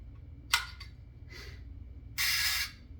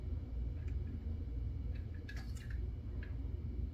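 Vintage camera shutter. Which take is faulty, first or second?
first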